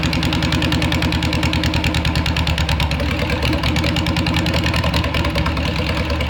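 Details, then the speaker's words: Air-cooled flat-four engine newly installed in a VW Beetle, fuel system redone and ignition timing adjusted: fires quickly and chuffs along at a steady, even idle with a firm low beat and no misses; healthy running. "all right so we got it fired up um you're probably thinking wow that fired up really fast"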